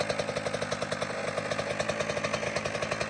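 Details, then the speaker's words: Kawasaki KX85 two-stroke after water pump and case seals and gaskets were replaced to fix a leak, warming up after first-kick start: crisp, even burble at a fast steady idle, firing regular and clean with no misses or rattles; sounds way different, healthy. "Gotta let it warm up for a second and then we can give it a shot. Sounds way different now. Sounds way different."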